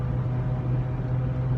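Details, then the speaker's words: Ford Mountaineer holding 70 mph on the highway, phone microphone inside the cabin. A loud, steady low whine and drone over road noise that has grown worse for over a year. Rear differential whine. "Yeah, holding a conversation in the truck with family members is becoming unbearable. It's very loud."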